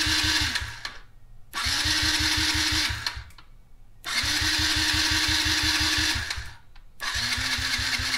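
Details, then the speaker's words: Yamaha TTR50E dirt bike cranked off a Foxpeed A10 jump starter after a gas change: starter spins briskly in repeated bursts, about three to four strokes a second, never firing; cranks, won't start. Owner suspects a dirty carb. "I think I need to take the carb off and clean it I think that's what's wrong I already changed the gas"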